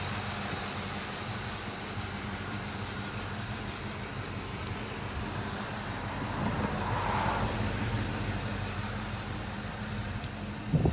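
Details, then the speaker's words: 2003 Mustang Mach 1 V8, 32-valve, 14k miles, stock exhaust: smooth, even idle with light, normal injector and valvetrain ticking, no tapping; engine sounds healthy, normal idle. "the engine is really nice you can care a little bit of injector noise that's normal there's no tapping or any problems in there"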